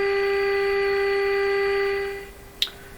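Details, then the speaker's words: Canadian Westinghouse Model 684 tube radio in rough shape during IF alignment, IF signal fed in, turned to full volume: a clean, steady mid-pitched test tone holds two seconds then fades; IF stage passing the signal properly. "okay so that means this thing's receiving that IF frequency the volume is a little too low hear it okay that's full volume now"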